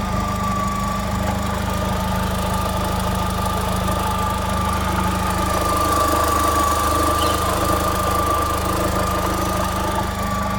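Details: Vauxhall Astra Mk4 1.6 16v petrol idling steadily with a thin high whine on top and a faint, uneven tapping underneath; owner asks what the weird engine noise is.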